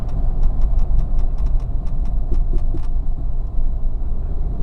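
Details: 2002 Mitsubishi Montero Limited brake noise: sharp irregular clicking about five times a second over low engine rumble, then stops; owner suspects the brake accumulator, unconfirmed.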